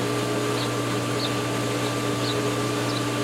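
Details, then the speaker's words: Steady pool pump hum with faint irregular gurgles at pool opening; the pump shakes as air runs through the system while it refills the solar lines, priming and purging air. "is shaking like mad which indicates that we're purging air"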